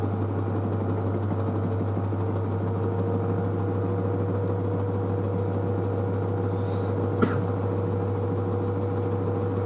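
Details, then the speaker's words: New washer dryer spinning quietly at 600 rpm after a pre-spin: a steady low hum with an even tone and no thumping or rattle. The front panel flexes slightly. Normal spin. "so so it's so quiet 600 rpm"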